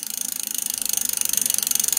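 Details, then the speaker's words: Bicycle fitted with Tannus puncture-proof tyres, upside down with the rear wheel spun by hand: fast, even freewheel ticking of about fifteen clicks a second with no scraping; no brake rub, and no bearing drag is heard. "donc là pareil on entend pas de bruit de frottement bon déjà on peut régler un problème c'est pas une histoire de frein il y a rien qui frotte"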